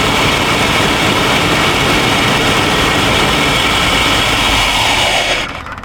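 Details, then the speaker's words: 1951 Chevrolet half-ton V8 truck, long-sitting: runs at a steady busy idle about five seconds then dies; stalls, owner suspects fuel not being pumped or draining back. "I don't know why we're shutting off. We should have plenty of fuel, unless we're not pumping."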